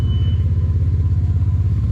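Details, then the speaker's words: Beater car's exhaust rejoined with a can and muffler straps because pipe sizes didn't match: loud deep idle rumble with even puffing beat, quieter than before but still leaking at the joint. "But my pipe size didn't line up, so I would say it's quite a bit quieter. Still a little loud though, but"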